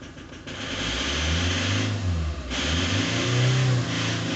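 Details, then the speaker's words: Ford Transit 2.0 diesel revving through a few bursts with a hard metallic knock riding on it; owner doesn't know the source; needs further checks. "У меня вот такой вот стул, блин. Он такой металлический, блядь."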